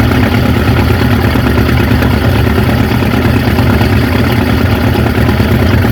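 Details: 1950 Ford F5 flathead V8, 53,065 miles, sat over 20 years, first idle on a temporary fuel tank: low, slightly uneven tickover about three beats a second, no knocks; smoking, rings probably need to reseat; good oil pressure.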